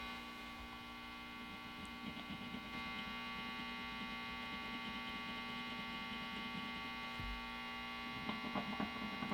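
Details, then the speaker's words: Vintage Fender Telecaster neck pickup after home wax potting, bobbin tapped: only steady mains hum, no ringing or squeal; pickup and wiring now quiet, microphonics gone. "oh that's quiet compared to what it was before that's quiet i'm in there too look the wiring is quiet"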